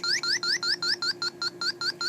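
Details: HVAC unit with a rusty section, electronic leak detector held nearby: fast chirping beeps about five per second rising in pitch, picking up refrigerant before getting close; bubble test then confirms an obvious leak.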